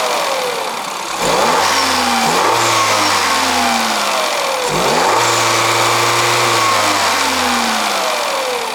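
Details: 2021 Peugeot 3008 1.6 THP Allure, 1.6 L EP6CDT turbo petrol (165 hp), 6-speed automatic: two clean blips from idle, revs climb crisply, fall back smoothly and settle to steady idle, no knocks or rattles; healthy normal free revving.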